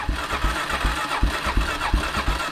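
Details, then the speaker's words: ATV being started, choke pulled back to about halfway, no throttle: slow even starter chugs about three per second with weak puffs that never catch; cranking without starting, it won't stay running. "no throttle no choke oh she's trying she's trying"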